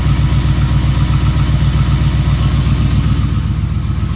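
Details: 2015 Ram 5.7L Hemi V8, almost 18k miles, long-tube headers, idling with steady even knock about four a second over low rumble; recently started, less noticeable when warm, owner suspects piston slap, unconfirmed.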